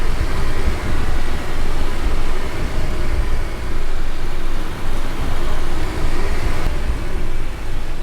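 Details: Car driving after wheels and brake disc faces were cleaned with brake cleaner and wheels refitted, nuts tightened in star pattern: only steady low road rumble with gentle surges, no clicking; normal wheel noise, clicking fixed.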